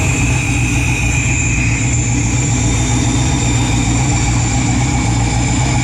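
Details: Freshly built 408 stroker LS in an S10, first start in park on a new tune: loud deep lumpy V8 burble at a low, slightly uneven idle, no knocks; rpm low, air-fuel ratio erratic, new wideband O2 acting up, cause unconfirmed.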